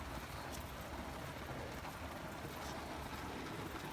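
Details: 60-year-old army mountain pressure stove, pumped up after preheating: soft, constant rushing roar with no sputter, pulsing or flare-ups; burner running clean and steady.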